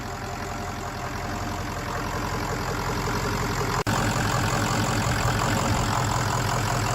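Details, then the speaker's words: 600HP 6.0 Powerstroke crate diesel in a Ford Excursion with Twisted Diesel Level 3 transmission, freshly started after a new main engine harness: an even, steady diesel clatter at idle with no misses, knocks or hunting; a healthy idle. "Oh my goodness. Diesel, it's running. It's running, Diesel. It's running, big boy."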